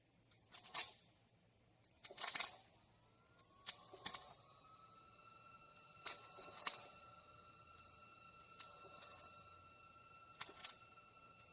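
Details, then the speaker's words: Trailer main frame repair weld: MIG arc spits and crackles in short, harsh bursts at uneven gaps, never settling into a steady sizzle; the arc keeps cutting out because the wire isn't making proper contact. "rind it something ain't right its spitting do you hear it arcing out and stuff?"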